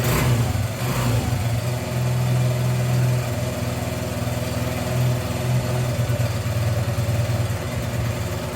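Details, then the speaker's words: 1981 Honda XR100 after valve adjustment, cold start after sitting for weeks in 20s–40s temperatures, fired first kick, now on half choke: steady, even low thump at idle with a small early rev; runs smoothly. "That thing fired right up. I don't even think it needed all the choke."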